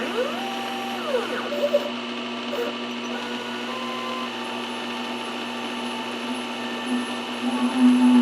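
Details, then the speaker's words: Lathe threading the ER40 side of an ER40-to-5C adapter: a steady, chatter-like ringing as the tool skims the crests of earlier chatter marks. It sounds like chatter but is beneficial cutting. "fortunately this noise is not chatter but more or less the cutting of the tops of the chatter marks sounds the same but this one is actually a little more beneficial"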